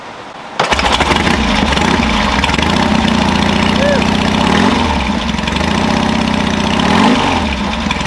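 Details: 1967 Norton P11 motorcycle, concentric carburetors and non-magneto ignition, started with three kicks key off then one key on: kicks, then fires and catches into a steady lumpy thump with a clean even beat; normal running.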